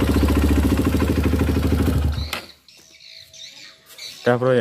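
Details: Honda CRF150 after a new rebore, with the rough noise traced to an oil passage blocked by the gasket plus the oil pump: a couple of seconds of even, steady pulsing idle with no top-end rattle or tapping, then shutdown. Oil is confirmed flowing.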